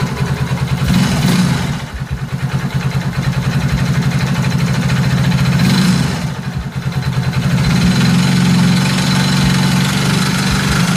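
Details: Engine noise when accelerating: revs rise and fall with a rough, uneven beat over the exhaust, cause not identified.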